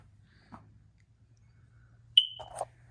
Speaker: Can you hear the smoke detector chirping because the battery's low? Because that happens the first day a house goes on the market.